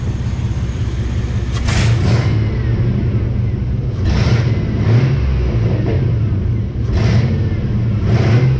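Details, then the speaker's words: Chevy after engine mount work, transmission not yet topped off: idles steadily with slight shake and picks up cleanly on throttle blips, dropping back smoothly; running normally. "it's running that's the main thing it's running yeah it's gonna move a little bit"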